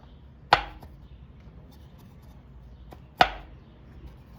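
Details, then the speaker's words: A removed Honda D16Y8 automatic engine with a spun bearing, whose bottom end knocked while running, is turned slowly by hand. Two sharp, heavy clunks show loose play. Rod bearing knock. "That's the bearing. Every time this one goes down, this one does not follow because the bearing has that much space, or the bearing is not there, or the bearing is worn out pretty bad."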